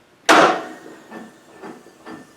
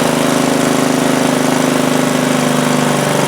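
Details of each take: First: Craftsman T100 lawn tractor with Briggs Intek engine after sitting all winter, choke on: one heavy clunk then a few dull knocks, no cranking; engine suspected hydrolocked, oil overfilled, starter and compression release doubted. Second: Craftsman T100 lawn tractor, Briggs Intek single-cylinder engine, running after a hydrolock repair with the engine cover off: steady, even running, no knocks or misses, pitch settling lower, residual oil burning off in the muffler; normal running.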